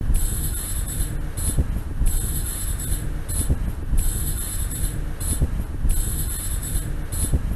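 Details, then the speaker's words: 2001 Honda Accord while driving: thin metallic scrape and jingle about every two seconds over road rumble, intermittent, from the rear; the worn inner rear brake pad's wear indicator pin scrapes the rotor due to uneven pad wear. "the wear detector the metal pin started scratching against the rotor making the noise"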